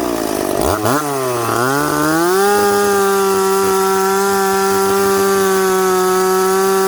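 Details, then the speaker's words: McCulloch Pro Mac 850 chainsaw, stock before pipe: revs climb quickly and smoothly to a steady, clean high-pitched scream that holds under load while cutting cottonwood; normal full-throttle running. "it's got crack and it's got pull it it revs up smoothly and quickly"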